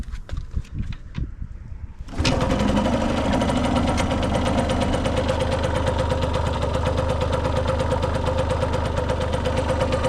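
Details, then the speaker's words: Cosmetically restored Yamaha YSR50 with 198 original miles: a few handling knocks, then the little two-stroke fires and settles into an even, crisp ring-ding idle with steady rhythm, running healthy. "The motor sounds like brand new."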